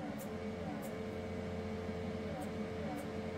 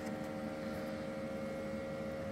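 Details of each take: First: Anycubic Photon M3 Max auto-feed pump giving a faint, steady hum that never changes: it runs but no resin reaches the vat, because air escapes from a resin bottle cap left unsealed after its washer was removed. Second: Anycubic Photon M3 Max auto-feed pump humming steadily at an even, unbroken pitch with no stutter or surging, after the cap washer was refitted: the bottle now pressurises and resin pours out normally.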